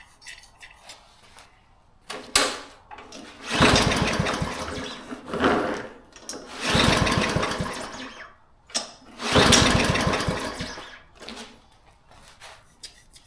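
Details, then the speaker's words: Used mower with good fuel and brand-new, overfull oil, primed and started: catches and surges in uneven bursts, dying back instead of holding steady; owner suspects a dirty carburettor needing cleaning. "think the carb needs to be cleaned."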